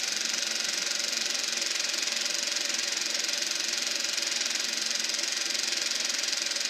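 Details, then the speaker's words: Eberspacher B1 gas heater for a VW Beetle on test fire: steady high-pitched fan hiss with no burner roar; flame has gone out while the blower keeps spinning, cause unknown, battery charger possibly having issues. "Now it sounds like the flame went out. I think something went wrong."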